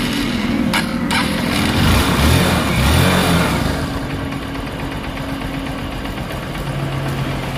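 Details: Honda TMX Supremo single-cylinder motorcycle that died and was hard to start when wet from rain or washing, after fitting a replacement spark plug cap: a short rev, then an even thumping idle that holds without stumbling; normal idle.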